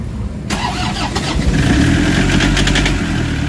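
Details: Toyota Hiace diesel, previously cranking with no start (codes P0087, P0107, P0400), after timing setup corrected: cranks, catches within half a second and settles into a steady, even idle; normal start and idle after repair.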